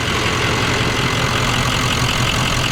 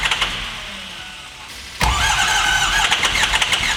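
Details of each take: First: Adventure bus turbo V8 after the engine was reinstalled following a bad cam: loud, steady, even idle with no ticking or stumbling; engine sounds much better and healthy, turbo loud. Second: Adventure bus engine after a bad fuse box pin was fixed: lopey, pulsing choo-choo idle with a puff every few beats, cylinder 7 dead and misfiring from a valve held open; fuel pressure 60 psi, injectors tested good.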